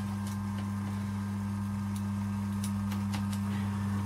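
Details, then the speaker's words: Electric air compressor used for painting, after a bang mid-use: runs idle with quiet steady motor hum, no piston thump heard, pressure stays at zero; piston not pumping, to be disassembled to find the broken part. "потом хлопок и он начал работать холостую как видите работает звук тихий не слышно чтобы работал поршень и давление стоит на нуле"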